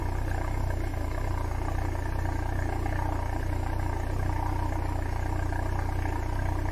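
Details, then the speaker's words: Citroen BX during revival, exhaust sooty from diesel, not yet warmed up: deep, coarse, blatty tractor-like exhaust drone with a rough low pulse near 200 per minute, much louder than before; loud exhaust when revving, cause not traced. "I thought it sounded quite subdued before, but that's that sounds like a tractor."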